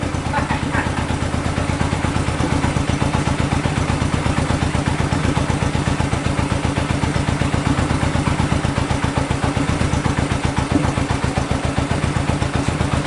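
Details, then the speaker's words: 1965 Honda CB77 Super Hawk 305 twin, sat 20 years, first run after carb cleaning and fresh fuel; running slightly lean with no air filters fitted. Quick, slightly uneven idle with a hollow popping edge, steady overall. "it's going to be running a little bit lien we don't have here filters"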